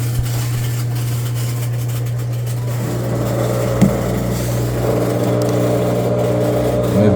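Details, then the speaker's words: Front-loader washing machine with no cycle selected: steady low hum, constant tone never stopping, from the drain pump running continuously until unplugged; counterbalance tub part implicated. "that the pump is good and that's what you will walk into your laundry room hearing without any selections and but it would be a constant run and then you would have to unplug it in order to get it to turn off"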